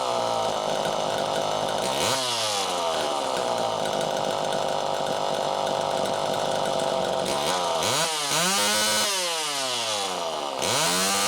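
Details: Super EZ Automatic chainsaw, cleaned out and on its second test run: holds a strong, clean scream through the cut, then revs freely up and down without bogging; normal running under load.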